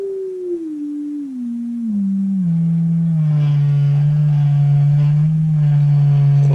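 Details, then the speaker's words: Atwater Kent Model 545 radio speaker, field coil fed from a bench supply, driven by a 400 Hz signal generator: tone turns buzzy and rattly as level rises. Something inside the speaker rattles, about 100 Hz; speaker to be pulled and inspected. "a rattling speaker. Hear that? Something in there rattling."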